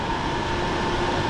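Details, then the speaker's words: Xiaomi Mi Smart Air Purifier 4 Lite, new, running in auto/night mode, which is quieter than the loud manual mode; steady even air rush with faint constant hum, no ticks or rattles: fan running normally. "okay let me put it back to auto mode you can hear the sound I guess this night mode so in night mode you can't hear it as much but it's still working and manual mode makes a lot of sound"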